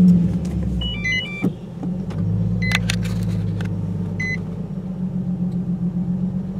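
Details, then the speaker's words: 2008 Nissan 350Z in neutral, clutch out, heard from inside the car with windows up, after fitting a JWT heavy-duty clutch, Zspeed slave cylinder, Wilwood master cylinder and new OEM dual-mass flywheel: smooth, low, steady idle hum with no clutch or flywheel rattle. "i mean that's that's quiet clutch is out so you obviously can't hear uh absolutely anything here uh inside the car"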